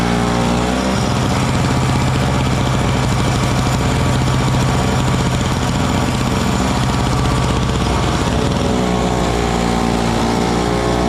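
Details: Frontier backyard mini snowblower, small single-cylinder engine, clearing snow with rocks mixed in on a cold day; holds a steady, even beat under load with no misses or surging – normal running under load.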